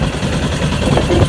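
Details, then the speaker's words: 1996 Suzuki RF900R motorcycle idling unevenly, lumpy and stumbling, won't settle; previously ran only on brake cleaner, owner suspects carburetor problem and plans to clean carbs. "Probably there are some good problem in the carburetors. I have to clean them."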